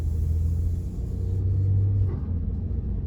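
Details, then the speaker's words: Honda Odyssey driving on a sub-60°F day after replacing power steering reservoir suction and return hoses to fix an air leak causing pump whine: steady low engine and road rumble, no power steering whine through turns; fix successful. "sounds pretty silent to me. Cranking around this neighborhood coming out here."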